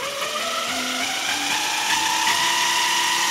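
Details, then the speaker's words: JET BD-11CNC lathe converted to CNC with 1.5 kW servo: HTD 8M 40 mm toothed spindle belt on temporary 3D-printed plastic pulleys whines loudly, rising in pitch from about 1,000 rpm toward 2,000+; owner suspects a low-quality AliExpress belt. "Вот уже начинает гудеть ремень. То есть уже получается обычную речь спокойную, вот если рядом стоят два человека, уже плохо будет слышно."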